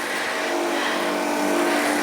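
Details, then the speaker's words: Harvest Right home freeze dryer running, owned nearly three years: steady mechanical hum with constant mid-pitched drone and even hiss, no knocks or surging; louder than the owner's dishwasher, running normally. "the reason there is a lot of background noise at the moment is because that is the freeze dryer going now and I just wanted you guys to hear what a freeze dryer actually sounds like while it's running"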